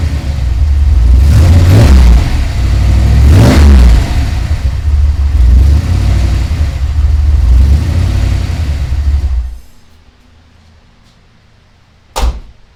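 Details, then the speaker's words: Ford Ranger rock crawler "The Mutt", first start with a new Magnaflow exhaust; the V6 blips up and settles back cleanly a few times through the deep exhaust, then shuts off; fires right up and runs well. "very happy it's uh fires right up runs good sounds good"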